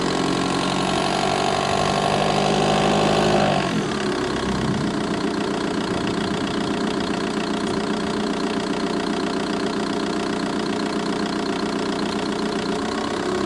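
Revs settle from a fast idle to a steady idle, with a light ticking of about two or three per second in the bay. Cause unknown.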